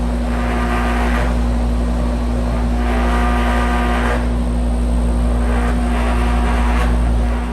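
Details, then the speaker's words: Home outdoor AC unit running: steady low buzz under a swelling hiss as the panels are touched; loose case panels vibrate, and gently tightening or adjusting the panel screws quietened it. "just simply tightening and loosening some of these screws on these panels can adjust it to where it'll stop buzzing. So you can really hear this one buzzing."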